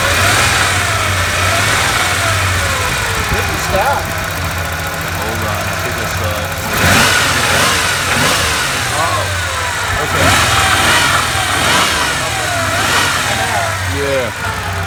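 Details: 1989 Ford Bronco II XL 2.9L V6, just tuned up: uneven stumbling idle about two beats a second; cylinder #4 not firing per temperature readings, no head gasket signs; owners suspect intake manifold leak.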